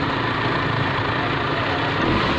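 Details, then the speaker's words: Suzuki Liana M13 after the ignition-coil misfire and rpm-fluctuation repair, idling with AC and headlights on: steady, even idle with no dips, stumbles or vibration; the engine now runs smoothly. "Engine कहीं पे भी रुक नहीं रहा किसी भी की संग वाइब्रेशन नहीं दिखा रहा है ये देखें खड़ी गाड़ी में भी सरहद नहीं है"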